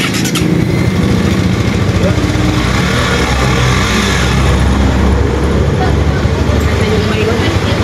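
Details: Honda NS150 after head check and rebuild with regrind and new original bearings: steady, even idle with a smooth low thrum and no ticking or knocking over street noise; the earlier noise is gone.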